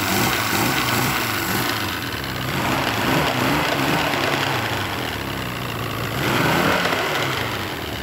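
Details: Force 120 (Mercury) 1999 two-stroke outboard off a Bayliner, warmed up, while forward and reverse gears are shifted: holds a steady, even run with no misfire or knock; sounds healthy, gearcase engages well.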